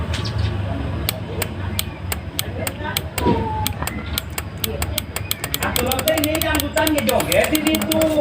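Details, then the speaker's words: Yamaha Mio Z 125 scooter with a good battery, brake switch bypassed: sharp, dry clicks at the starter relay about three per second, but the starter never cranks the engine. "Nah, ini ada bunyi ya, Teman-teman ya. Ada bunyi di bendik atau relay-nya."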